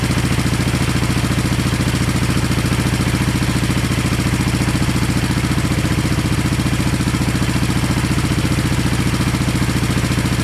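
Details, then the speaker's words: 1970 Honda SL350 twin, first start during restoration with gas put down plug holes and right carb leaking; even twin beat about three and a half pulses a second, no misses; both cylinders firing with equal pipe warmth; normal idle. "well by touching the cylinders in the pipes it seems like both cylinders were firing just fine they're equal warmth"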